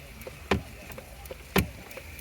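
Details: Hyundai iX35 automatic stuck in park: the shift-lock solenoid gives sharp clicks about once a second with lighter ticks between. The piece where the cable attaches is worn, so the selector stays locked in park.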